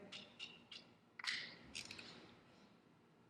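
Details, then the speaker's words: 1985 Honda ATC250ES Big Red, cold engine during an oil change: a few sharp, light metallic clicks as the torque wrench set to 11 ft-lb releases at its set torque. "listen for the click there we go that's as tight as it needs to be here"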